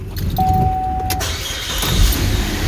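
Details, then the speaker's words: Car that wouldn't start after refuelling, started after replacing faulty EVAP purge valve: brief starter whirr, catches at once and runs smoothly; check engine light may stay on until code clears. "right up like a charm now the engine light may stay on because it threw a code"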